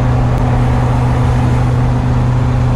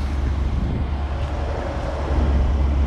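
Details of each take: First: 1990 Fleetwood Bounder Class A motorhome, big-block Chevrolet, warmed up: a heavy, steady low exhaust drone and loud rumble under load with no clean note, from an exhaust leak. The exhaust manifold donut gaskets look completely blown out. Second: 1990 Fleetwood Bounder Class A motorhome, big-block Chevrolet V8, after donut gasket repair with new springs, nuts and gaskets: deep, even rumble holding steady with no ticking or puffing leaks, some wind on the mic; exhaust now quiet, normal running.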